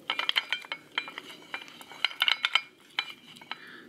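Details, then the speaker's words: 10-ton snatch block being wiggled by hand: light metallic clinks and rattles from roller play, in a comparison of the Ranger block (very little gap) against a Volt version whose roller has visible daylight and moves a lot. "And as I wiggle this back and forth, see how noisy that thing is? Hear the difference? Very smooth."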